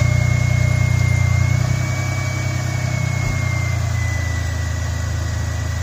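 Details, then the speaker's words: 2000 Ford F150 idling after fresh oil change and coolant change: steady, even low rumble at idle with no knocks or ticks; sounds healthy. "And that's what it sounds like with the fresh oil."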